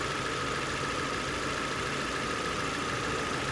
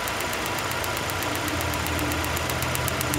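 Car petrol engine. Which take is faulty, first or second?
second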